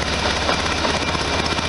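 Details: 1973 VW Super Beetle, warm-up after exhaust gasket modifications with sealant. A steady, loud idle with a sharp raspy puff on every firing pulse from one side: exhaust leak at the header gasket, left side.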